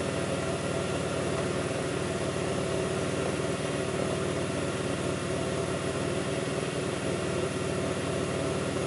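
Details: 2002 Pontiac Grand Prix 3800 V6 at idle, no check-engine light, alternator overheating; faint intermittent thumping pulls the idle down. Lumpy idle pulse with occasional heavier thumps underneath: rough idle, cause unconfirmed.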